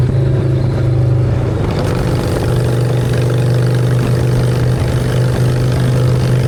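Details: Honda Shadow V-twin with new custom exhaust pipes, on choke in neutral: deep, steady, even thrum settled at fast idle, no misses or knocks; running healthy, normal idle.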